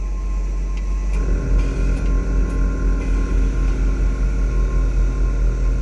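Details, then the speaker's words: 1959 Chevrolet Bel Air, engine running, charging now at 13.4-13.5 V instead of 9-10 V: constant low drone with soft rapid pulse; compressors now stay on continuously instead of cycling on and off. "work this time the compressors are actually staying on um like I said before it wasn't even doing that it kept shutting off on on off on off now it's actually continuously going so if you can hear from the back that's how we should be"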